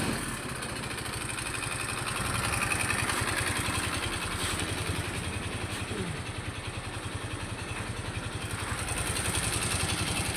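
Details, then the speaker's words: A Yamaha Mio i 125 scooter that ran dry of oil from lack of oil changes runs with a quick regular tapping, a few beats a second, over the exhaust: an oil-starved engine knock, with the engine lacking power. "Natuyuan po siya ng langis. Natuyuan siya ng langis."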